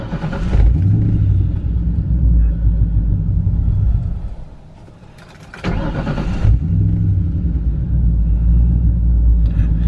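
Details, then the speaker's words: Project car "Turdzilla" after a fuel filter replacement that didn't cure it: lumpy low rumble dies after about four seconds, then restarts and idles unevenly. It also stalls at stoplights. Owner suspects the fuel pump or air in the lines. Stalling, rough idle. "so the car doesn't seem to be idling fine I was having some issues with the car stalling at stoplights"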